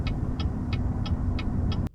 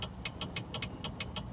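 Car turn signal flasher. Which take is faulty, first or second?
second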